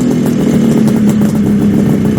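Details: 1974 Kawasaki H2 750 two-stroke triple, drag-style street build, restarted after 34 years stored; fired first kick with no throttle, crisp even crackle holding steady without misses or stumbles; normal running.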